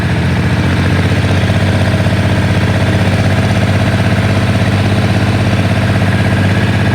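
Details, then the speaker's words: Ford 3000 diesel tractor: idles sweetly around 400-430 rpm; at about 1200 rpm a steady clatter with an occasional uneven beat, possibly still missing; intermittent misfire, owner told valves might be too tight, not yet checked. "still running sweetly it's made us this far 1200 i think it's still missing"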